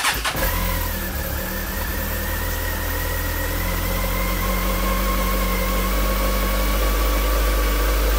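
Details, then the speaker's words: Honda CB1300 after full rebuild, cold start: catches and settles straight into steady, even idle with only very slight tappet tick; runs clean and healthy, no leaks seen; normal idle. "Well, it seems to be her ticking over nice and steady now. Seems to be quite happy. Very slight tacketing, not not overly, not greatly."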